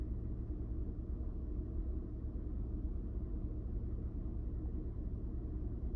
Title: 2000 Honda Odyssey - Rough Idle - O2 Sensors.